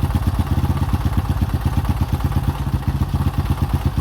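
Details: 2005 Honda CRF150F, a former no-start that then ran high without idling (a carb issue), after valve adjustment and carburetor tune-up: even single-cylinder thump at about three beats a second, no misses or clatter, running smoothly and steadily.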